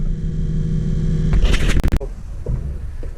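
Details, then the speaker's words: Excursion/Bison 86lb-thrust trolling motor after brush holder replacement, run flat out on full 24 V instead of 12 V, seals packed with high-melting-point grease: steady hum, then handling clunks; normal full-speed running, ran 10 minutes without issue. "We'll just run it for a wee while, and we're now doing it with full 24 volt set. rather than just 12. That's it running flat out."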